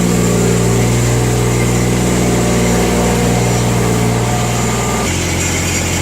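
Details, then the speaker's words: Jacobsen Turfcat diesel mower, unused two years, after glow-plug cold start and a few minutes idling: steady even diesel clatter with firm low drone settling to slightly lower idle; runs healthy. "So hopefully you can hear me. We've had the thing idling for a few minutes."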